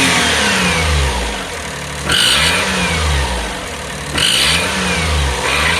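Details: 2005 (H17) Daihatsu Atrai Wagon Custom Turbo R S320G, 170,000+ km: sharp raspy puffing hiss with each rev blip; fades once warm after 30 minutes, returns after restart. Exhaust manifold leak from broken manifold bolt.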